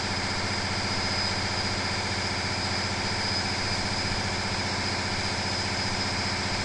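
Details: Big Cam Cummins diesel running on a dyno at around 25% load: steady roar with a thin, high whistle as the turbo fails due to oil contamination.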